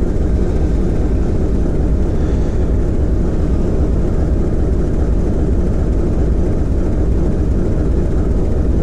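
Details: TEM2UM diesel locomotive load-tested after overhaul, load being applied to the diesel: deep steady drone with a slow pulse settling firmly; engine pulls evenly, healthy.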